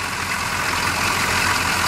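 Steady, even idle with a smooth hum and no knocks or misses; this truck engine sounds healthy and settled.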